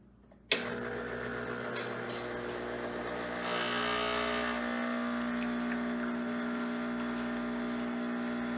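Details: Espresso machine pump gives a steady buzz that settles after switch-on and holds an even pitch through the shot. It is pulling Mayorga organic Cuban dark roast after several grind adjustments to below setting five, and the pump is working normally.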